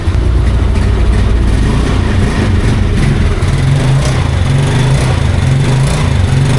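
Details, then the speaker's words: 2014 Yamaha Mio Sporty scooter, 12 years old, just after oil change (drain bolt refitted); even low idle with a steady beat, no rattle or knock; smooth, quiet normal idle. "Yung naririnig nyo, ito yun eh. Yung fender. O, diba? Tahimik na. Smooth."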